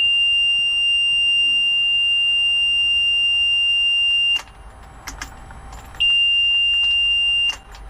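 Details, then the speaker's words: Mercury 300 LX outboard with lost engine communication to the gauges: at key-on a steady high-pitched warning horn sounds about four seconds, pauses and sounds again, but the engine won't crank and no fault code is shown. "Alright, I get the beep noise, but the engine won't start. But I don't have any code to tell me what's going on."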